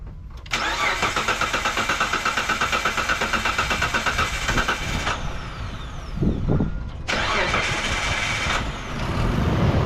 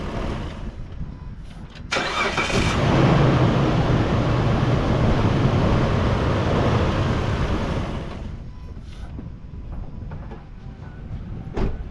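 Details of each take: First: 2004 Mitsubishi Montero, first start right after throttle body cleaning: several seconds of labored cranking, engine catches unevenly and stumbles while burning off excess cleaner; rough start expected to clear on restart. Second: 2004 Mitsubishi Montero restarted after throttle body cleaning: short crank, clean catch, raised fast idle for several seconds then smooth settle lower; healthy, smoother start.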